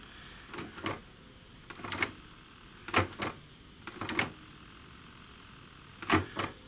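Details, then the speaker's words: Sony CDP-M26 CD player showing a no-disc error, before repair: short motor whirs with clunks in uneven pairs as the tray mechanism strains and stops. The drawer opens and closes only intermittently and won't close with a disc in. "this open and close drawer is intermittent hardly works if I put a disc in it won't close"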